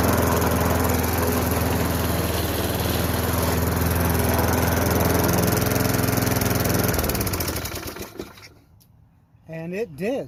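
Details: Craftsman 22-inch push mower, 5.5 hp Tecumseh engine, sat about 10 years, started without primer: steady, even single-cylinder beat for about seven seconds, then shut off and winds down cleanly; running normally.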